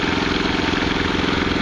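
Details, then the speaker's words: Westinghouse iGen 4200 inverter generator during break-in, about four hours before an oil change; unit has damaged motor mounts and frame-mounted spark arrester housing: smooth, even, super quiet hum with no knocks or misses. "thing is super quiet though i won't even be able to hear it in the rv"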